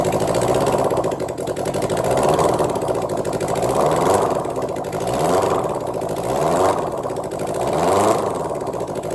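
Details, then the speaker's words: Suzuki GSX750ES under reconstruction, first start with no exhaust fitted, after slowly building compression and drawing fuel: raw, loud open-pipe rasp with slow rise and fall in revs, no misses; running on all four cylinders. "but uh yeah it's actually doing something and sounds like it's running on all four"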